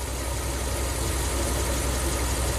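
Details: Ram camper van with hot-soak stalling, nearly warmed up, idling with desired idle airflow at 20 counts: steady even low rumble, no misses, knocks or hunting; normal warm idle.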